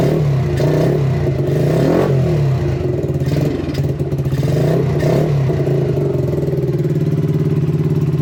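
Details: Yamasaki RS motorcycle just started after a battery fault: uneven, surging note with irregular clatter, not holding steady revs; the choke does nothing, owner suspects carburettor adjustment or possibly an air leak.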